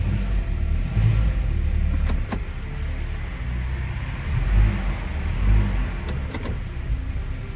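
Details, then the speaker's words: Fiat Freemont after replacing the engine mount that caused a clunk shifting between reverse and drive: even engine rumble through drive and reverse shifts and revving, no thump at engagement; mount problem fixed. "tem mais aquele barulho. E assim a gente resolveu os problemas do coxim."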